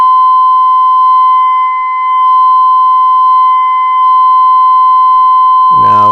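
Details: 1932 Philco Junior 80C regenerative radio alignment at dial 55: steady pure test tone near 1 kHz from a signal generator that swells and dips slightly as IF trimmers are peaked by ear for maximum output.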